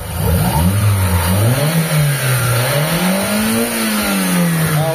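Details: Mitsubishi Lancer "pizza pie" carbureted engine: engine revs cleanly a couple of times and settles smoothly with no delay or stumble, no exhaust smoke; carb responding properly.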